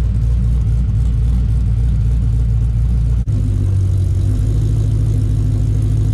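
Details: 2007 Mustang GT 5.0 stroker with Manley internals, Todd Warren cams and stiff valve springs, after cam phaser lockouts cured a warm knock caused by the phasers: deep, steady V8 rumble with no rattle or ticking; engine runs healthy.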